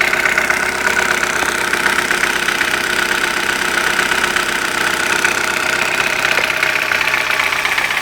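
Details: Light, fairly even tapping about four times a second over a warm idle; began after hydraulic lifters were replaced, absent when cold, source still undetermined.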